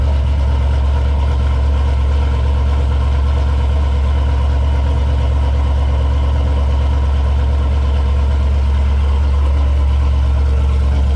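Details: 1989 Chevy Caprice with LS swap at idle after a cold start, following a dead battery or loose terminal: deep, steady V8 idle with even low throb, no misses, knocks or ticks; sounds healthy.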